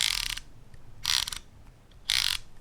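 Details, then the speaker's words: Sirui 85mm f1.4 Aurora aperture ring, compared with the Viltrox 85mm f1.4 Pro: three quick runs of light, crisp ticking through the click stops, quiet between. Ring can be clicked or declicked; the Sirui feels more plasticky and changes values easily. "Aperture ring. Both of them have it. My favorite feature. And it can be clicked or decllicked."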